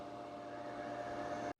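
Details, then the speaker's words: Chlorine pool pump after air purged from system: smooth even hum, constant low tone, no gurgling or surging; running normally with no air. "Once it has, the pump will be in full running mode once again with no air in"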